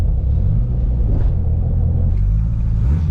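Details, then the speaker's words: Turbo K20-swapped EF Civic after installing a new gearbox and clutch; a deep, low idle rumble that swells and sags over a few seconds, with the idle hunting, and the owner suspects air pockets in the cooling system. "the idle is also fluctuating so I got to figure out if uh we have any air pockets in the cooling system"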